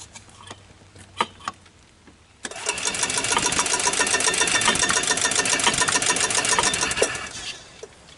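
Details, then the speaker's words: 1993 Club Car golf cart engine, sat over six months: steady starter whirring about three and a half turns a second for five seconds, never firing; fires only on starting fluid, no gas drawn through, carburetor suspected to need cleaning or rebuild. "doesn't seem to be drawing gas the carburetor probably needs a rebuild"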